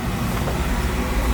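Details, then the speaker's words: Oil burner on no-heat call, after new filter, nozzle and protector relay, restarted after two days shut down and bled: steady even low roar, no surging as it did before, normal burner operation. "new filter tank in a truck and you want to know how I'm going to fix it no nozzle no protector relay she's running good right yeah sounds sounds"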